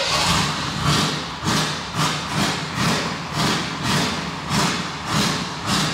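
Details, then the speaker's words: 1988 Chevrolet Silverado, long parked, engine still cold: uneven surging about two swells a second, stumbling and trying to stall when lifting off the gas; owner suspects bad gas. "sitting so if you really listen to the truck you can tell it was trying to F dead when I got off the gas a little bit"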